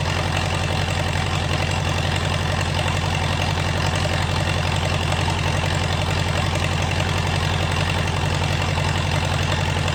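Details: Swinger 3000 diesel running with the exhaust removed during an exhaust manifold and muffler repair: a harsh, blatting idle with a hard, even pulse of about 220 a minute, very loud because no muffler is fitted.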